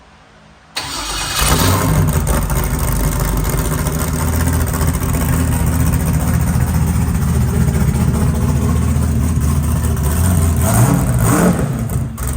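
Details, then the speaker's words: Off-road race car started after replacing a worn harmonic balancer whose six belt grooves were flattened about 0.100 in: the engine cranks, catches and runs steadily with no belt squeal for the first time. "That's the first time this car has not squeaked. It's squeaked since the day we bought it. And it was that harmonic balancer."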